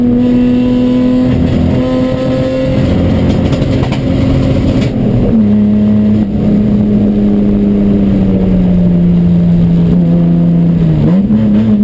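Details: Chumpcar on track at Watkins Glen, problem starting midday Saturday: engine pulling hard but the note wavers and stumbles unevenly instead of holding clean; misfire under load.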